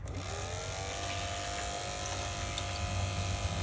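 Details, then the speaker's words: Lotus Elise fuel pump, reinstalled with a makeshift O-ring after the car refused to start: steady, even electric hum with a constant high whine, no surging or rattling; pump works perfectly again. "parfait et ben elle remarche nickel cette pompe elle remarche nickel ce qui s'appelle revenir de très très loin"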